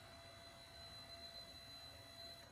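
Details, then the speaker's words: Newly wired windshield wiper motor on a 1929 Chevy street rod project, switched from low to high: a faint, steady electric hum with a thin high whine, even and unbroken. Normal operation on high speed. "So then you turn it on. There's low, there's high,"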